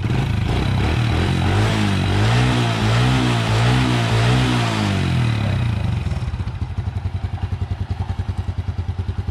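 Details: Honda Wave motorcycle after repair of a broken rocker arm and regrinding the cam: engine revs up and down cleanly, then settles into a steady, even idle with no clatter; running smoothly.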